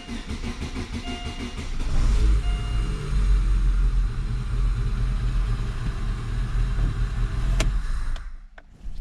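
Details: Daewoo Lanos engine after rebuild for a knock (block checked OK, factory hone left, oil pressure tested first): first start, starter cranks briefly, engine catches and settles into a lumpy but even cold idle with no knocking; healthy.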